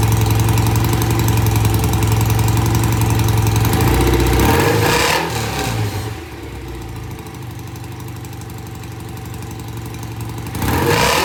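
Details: BSA A65 with new Premier carbs after pilot-jet cleaning. Easy cold start, then a steady, even twin idle with a crisp regular beat and a brief blip of revs; good idle on both sides. Normal idle.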